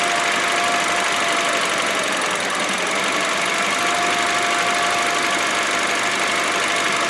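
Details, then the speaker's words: 2012 Honda Civic 1.8 16V flex idling; pulling the air filter box opens a crack in the intake hose and the idle sags as if wanting to stall, with a thin whistle, from unmetered air bypassing the sensor. Intake air leak. "E aí eu vou pegar aqui na caixa do filtro vou afastar para brechó ele abrir e vocês vão ver na hora que a brecha Abrir vocês vão perceber o motor desacelerando tipo querendo apagar presta atenção ó"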